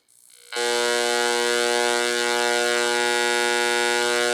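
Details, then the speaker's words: O scale non-powered diesel locomotive Bluetooth sound modification on bench power boards and amplifier: steady 60 Hz buzzing hum with overtones; owner suspects the transformer or a dirty signal, hum filter planned, unconfirmed. "60 HZ I'm wondering if that's the Transformer cre that noise uh may just be a dirty signal"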